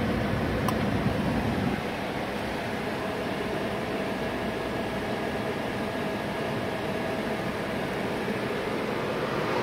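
Steady, even idle with the lights and air-con load on; revs sag slightly early, then hold smooth and stable. Idle is healthy.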